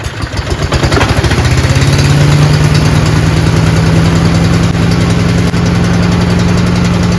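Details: Craftsman chipper shredder in excellent condition, single-cylinder with very heavy flywheel, on choke, brownish old gas, started on one slow pull; climbs within two seconds to a steady even low thrum, healthy running.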